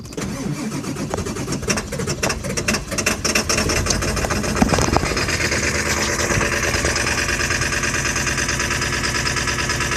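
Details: 2000 Ford F550 7.3 diesel at about 60°F, owner says it needs new injectors. Long, uneven cranking for about four seconds before it catches and settles into a rough, steady idle; hard start.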